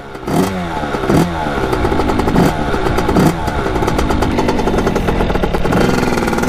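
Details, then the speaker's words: 1989 Kawasaki KX80 big-bore 110 two-stroke, warmed up and ridden through the gears at full throttle. Revs climb and drop flatly, bogging instead of revving out. Owner suspects the carburetor, maybe the pilot jet; not confirmed. "so there's obviously something wrong with the carburetor and I think we're gonna take her back let's see if we can find the problem just doesn't want golf I'm gunning it right now"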